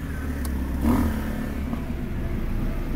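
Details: Honda Jazz, 7-speed, 135,069 on the odometer, idling with aircon on, idle rising to about 900 rpm: steady, even low hum with no knocks or stumbles. Normal idle under AC load.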